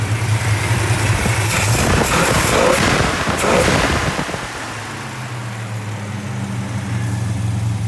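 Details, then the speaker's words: Restored 1967 Plymouth Barracuda convertible, E-code 273 V8 with solid lifters, valve lash set cold: a few throttle blips, then a smooth, even idle with no valvetrain clatter; healthy and quiet. "i wanted to hear the engine running because these cars actually came with solid lifters and to get them to run this quiet it's not really a chore"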